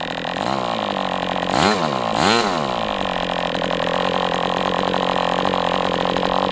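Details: MDS 68 FS Pro four-stroke glow engine on break-in stand, after carb retuning (idle screw had been tampered with), idle bar plug removed; blips up twice then settles into steady even buzz, no sag or hunting; normal running.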